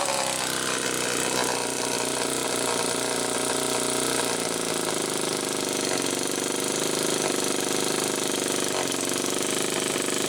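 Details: 1974 Homelite XL-2 chainsaw test run after air leak repair: two-stroke buzzes at a steady, even pitch with no surging or hunting; running properly now, idle not quite as owner would like.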